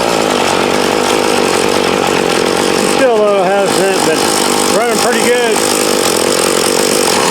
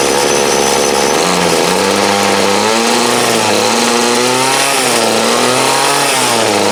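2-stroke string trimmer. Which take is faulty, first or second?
second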